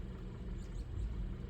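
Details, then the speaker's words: 2012 Hyundai Accent 1.6L with codes P2187/P2191 (lean at idle and under load): low idle rumble that wavers and stumbles, engine shaking. Owner suspects carboned valves and is checking for vacuum leaks; fixed with SeaFoam and throttle body cleaning. "Because based on those codes, it says it's lean at idle and it's also lean under load."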